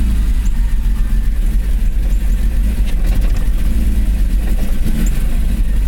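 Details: BMW E34 M5 S38B36 six-cylinder petrol engine runs rough with an uneven, stumbling misfire beat, symptoms of a bad distributor cap and rotor.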